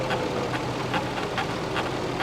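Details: Ford F-250 Super Duty idling while wheel is turned back and forth; sharp knocks about twice a second from a worn, loose track bar ball joint at the frame mount.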